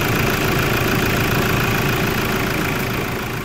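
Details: Toyota Hilux diesel idling: faint steady high whistle over rough clatter; turbocharger noise.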